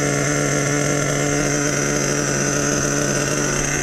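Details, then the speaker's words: Nitro RC truck glow engine with an OS No. 8 glow plug, running during break-in after idle screw turned up half a turn: fired right up, steady even buzzy idle with no misses or surging. "I have an OS number 8 glow plug in there. Fired right up, boys. Fired right up."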